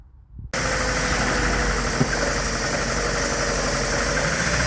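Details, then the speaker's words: Ford Transit petrol van started after an intake leak repair with a new thermostat: it settles into an idle with an uneven, stumbling beat, a misfire the owner suspects comes from cylinder one's spark plug lead; the leak is fixed. "there you go you lovely people all up and running we've got no leaks but we have got a misfire"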